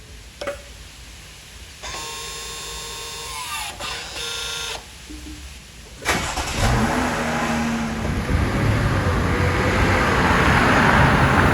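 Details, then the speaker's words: Chrysler Pacifica, microphone at driver's side rear caliper after electric parking brake service-mode reset: short steady electric motor whir for a couple of seconds then stops; parking brake re-engaging normally. "And as we reactivate that parking brake, I wanted to position the camera out here so you can listen to it. Re-engage and activate."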